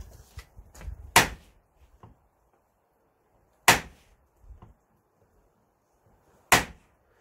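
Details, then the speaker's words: Fiat Punto car door: a sharp, loud snap each time the door swings, three over several seconds with small ticks between. Worn door check; the same problem exists on the other side, and replacement parts lasted only about a month. "on ihan järkyttävä tuo ääni."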